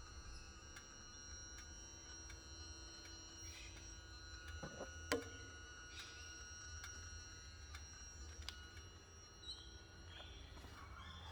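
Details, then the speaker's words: 2013 Triumph Tiger 1200 with the key on and the engine off. A faint, steady high electronic whine with fixed tones comes from the left side and stops once the bike runs; checks against other Tigers showed it is normal. "Um, so I'm getting this kind of a noise when the key is turned to on, and it comes from somewhere around here."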